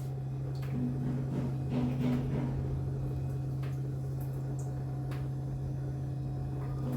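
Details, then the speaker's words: Samsung digital inverter fridge (lower compartment had not been cooling) after thermostat connection fixed: steady, even low hum of the freezer fan with no rattles, scraping or ticking; fan running normally. "Also fan, you can hear the noise. Fan, breezer fan, it's working properly without any problem."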